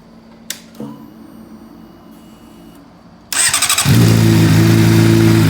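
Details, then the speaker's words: 2008 Honda CBR600RR inline-four after replacing the oil pump chain, sprocket and bearings: the starter whirs and the engine settles into a smooth, even idle, and the earlier buzzing is gone. Normal running after repair. "And then um you guys get to see what it sounds like now because it's all fixed. Sounds way much better."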